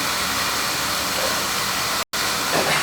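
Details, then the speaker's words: Oil burner that was leaking oil, after new nozzle, reset draw assembly and added shield, sealed up: steady, even hissing roar, no surging or pulsing; previously fluctuating, now running better. "right seems to be running a lot better you think sounds better it sounds better it would fluctuate you know before it was fluctuating"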